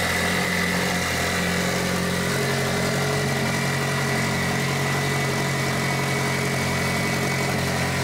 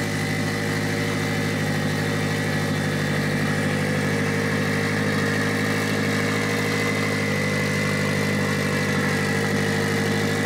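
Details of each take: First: Mitsubishi Evo 8 4G63T turbo engine on the lift, at first start after a rebuild. An elevated, unchanging idle with a smooth drone that never settles. An air leak is suspected, with a hose found not hooked up. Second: Mitsubishi Evo 8 4G63T with front-facing turbo kit, first start after owner's engine rebuild (pistons, crank, timing); high idle, throttle body adjusted; idle even and settled throughout, no surging, whistling or knocking: normal idle.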